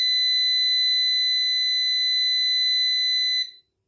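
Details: New PowMr 3.2 kVA / 3000 W inverter under diagnosis; it reports a battery error although the battery reading looks fine. After a settings reset, a steady high-pitched alarm beep holds about 3.5 seconds, then is switched off.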